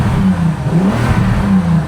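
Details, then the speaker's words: Bentley Continental Supersports W12 after fitting Walmart ignition coils: smooth, even rise and fall through the revs with no misses, stumbles or knocks, no check engine lights; engine sounds healthy. "It's good. It's good. No check engine lights. Totally smooth through the revs."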